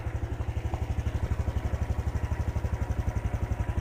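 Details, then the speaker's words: Honda Wave 110i after replacing the worn spark plug cap, which had caused hard starting and stalling on acceleration: an even, steady idle thump at about four per second, revving without stumbling. Normal idle. "เร่งไม่มีสะดุจเครื่องยนต์กลับมาเป็นปรกติ"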